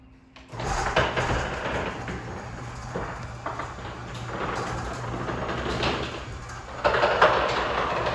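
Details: Wayne Dalton garage door travelling with a steady rumble and loud, sharp pops near the start and end of travel. Door popping while moving.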